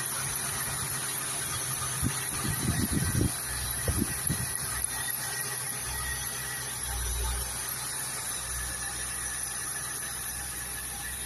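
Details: ZT 260 engine: a steady high-pitched squeal runs unchanged over the low rumble, with a few rough low bursts early on. Cause not determined.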